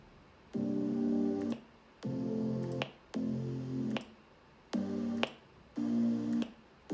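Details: MacBook Pro 16-inch speakers: playback stops and restarts about every second, with a sharp pop at each start and stop. Triggered by timeline changes, in any app and at 44.1–96 kHz; SMC/PRAM reset and macOS 10.15.1 don't fix it.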